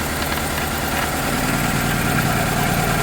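Warm idle with an uneven, stumbling beat about three times a second; a hard steady miss that points to a burnt exhaust valve.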